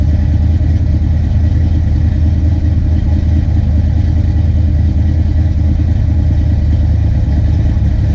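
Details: Big-cam Fox-body Mustang LX V8: a lumpy idle that surges up and down instead of settling, caused by over-advanced ignition timing from a slipped harmonic balancer; TPS adjustment was tried, and the plan is to pull the distributor to reset timing at TDC.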